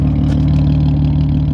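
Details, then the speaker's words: VR6 car idling with all the windows down to let in the exhaust noise: a deep, smooth exhaust drone at constant pitch with no stumble or rattle. The engine is purring nicely, a normal idle. "we've got all the window down for all the exhaust noise she's purring nicely"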